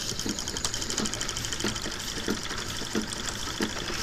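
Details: Late-1800s/early-1900s candle-heated Stirling engine novelty machine driving a small generator: light, fairly even ticking and clicking with a faint mechanical whir. Running smoothly.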